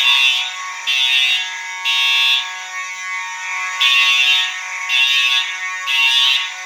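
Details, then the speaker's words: Fire alarm horn test: one horn sounding continuous (uncoded), another horn coded to code 3; harsh high buzzing pulses three times, pauses, then three again over a steady tone; horns sound and code correctly. "That'll be coded to code 3, so you'll hear a mix of both, which will be really cool."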